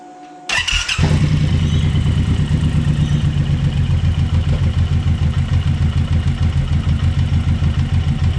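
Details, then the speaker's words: Suzuki Boulevard M109R (1800) V-twin starting and idling: lumpy idle with a loping knock each beat as the engine visibly rocks, showing worn rubber engine mounts. "yeah so you can see the engine movement you could actually hear that knocking which is shows that the rubbers worn"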